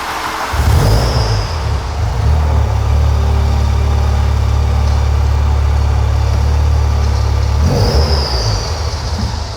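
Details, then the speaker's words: Mk3 VW Golf GTI rally project, first start after work with the fuel tank and engine removed; it catches and settles into a loud, steady low drone with a faint rhythmic pulse; an unidentified noise is present, cause unconfirmed. "I'll turn that off because we've got a bit of a noise there, but it runs."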